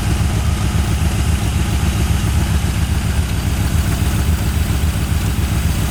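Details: Long-sitting 1981 Ford Mustang 5.0 V8, truck mufflers, no cooling fan: deep, even burble at steady idle, no ticks, misses or exhaust leaks; quiet and smooth, normal idle.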